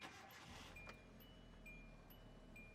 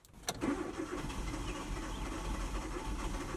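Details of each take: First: Green Hyundai, car other than the 2009 Hyundai Accent with intermittent long-crank hard-start: quick crank, catches within half a second, settles into quiet even idle; starts normally. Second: 2009 Hyundai Accent with intermittent long-crank hard start, spark plugs and O2 sensors already replaced, battery and fuel ruled out: starter whirs steadily, engine turns over evenly for several seconds without firing; long crank, no start.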